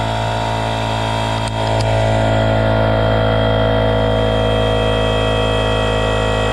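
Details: RIDGID 18V cordless air compressor, Gen5X brushless motor, model R0230, filling its tank to about 100 psi: steady, even pump drone with a fast regular beat that picks up slightly as it loads; compressor filling normally.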